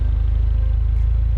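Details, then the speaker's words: 2009 Mini Cooper Clubman S turbo at the exhaust after the faulty coil was replaced and the check engine light cleared: steady, even low pulse at idle, no misfire. Normal exhaust note. "and it sounds normal even from the exhaust man check that out"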